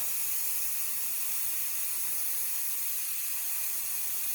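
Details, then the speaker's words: Instant Pot cooking brown rice, a little over 1 minute after releasing the pressure valve: steady high, airy hiss with no low rumble or sputter, very little hissing as it nears the end; normal pressure release. "And it's been a little over 1 minute since we released that valve. I know it's almost up because it's making very little hissing noise."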